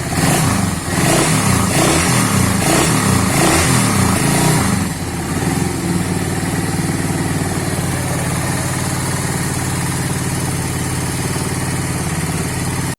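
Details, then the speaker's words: Suzuki Satria FU 150 after replacing the worn cam chain (rantai keteng) that caused a rough noise, oil also changed: a few throttle blips then a smooth, even idle with no top-end rattle or ticking; normal idle. "Sekarang sudah kita tes, suara sudah halus ya, hanya kerusakan pada rantai keteng atau rantai penggerak."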